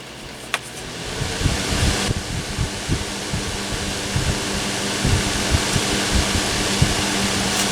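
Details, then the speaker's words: Honeywell twin window fan model HW-627 on initial checkout, running on high after low: good breeze, steady rushing airflow over a low even hum, no rattle or scraping, noise level not bad; normal operation at high speed. "Good breeze. And the noise level is not bad at all."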